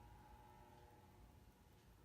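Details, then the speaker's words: Early-1980s Evergo 48" ceiling fan, model 4E-3LW, on the lowest setting of a fully variable speed control: a soft, steady mid-pitched hum rides over the fan's low rumble and reverberates through the blades. Motor hum caused by the variable speed control. "unfortunately when you have fans running on a fully variable speed control they have a tendency to hum as you can hear and"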